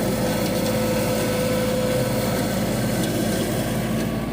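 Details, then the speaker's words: About one-year-old Yanmar 424 diesel tractor that had been bogging after rodents chewed wires, now treated with BG 245 fuel system cleaner: steady, even diesel clatter with no surging or bogging; running well again. "so anyway so far so good seems like it's running great now and hopefully that continues"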